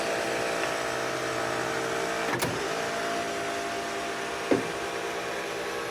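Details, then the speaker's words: 1962 Ford Thunderbird convertible with a new top switch: steady electric motor hum with short mechanical clunks as the rear deck lid closes fully, clicking when done, which is normal top operation. "And once the deck is fully closed, hear the click, click, click. That's when you stop."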